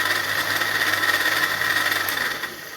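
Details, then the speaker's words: Crompton Greaves 0.75 HP (750 W) water pump running before repair: rough gritty whirr with rattling edge over motor hum; has started making noise and losing pressure, later found jammed bearing, valve jam and worn impeller. "So it has some defect now because it has started creating noise. As you can see, I will just turn it on."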